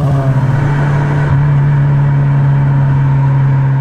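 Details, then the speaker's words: Subaru Legacy with previous owner's exhaust, apparently from a diesel Octavia Mk1 and gutted, crudely joined to the centre section, later replaced by an original-type part; heavy, steady low boom while running; loud exhaust drone. "Na dlouhé trasy to auto bylo naprosto nepoužitelné, protože výfuk duněl a hlučel neuvěřitelným způsobem. No, poslechněte si ho sami."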